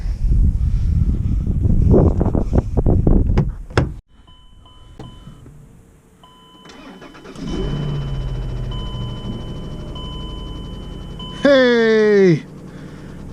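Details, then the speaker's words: Car bought to flip, after fixing a terrible belt whining noise, started with a battery charger connected. Cranks a few seconds, catches and settles into an even idle with no belt whine; normal start. "we have fixed the whining noise i'm gonna go uh run it into town make sure everything's working okay fuel pump and belt and all that"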